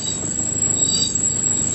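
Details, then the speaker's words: Cheap Toyota Hilux after heavy off-road mud bogging: steady piercing high squeal over a rough rumble throughout; abnormal squealing noise, cause not yet pinned down. "oh she sounds a bit uh a bit sick from all your mud bogging mate we want to make it much further than this I've never heard a car make that noise before"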